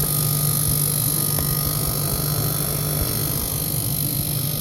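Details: Refrigerator freezer-side condenser coil fan running loud: steady low drone with constant hum and faint high whine; frost/ice buildup found, defrosted with hair dryer, then sounded much better.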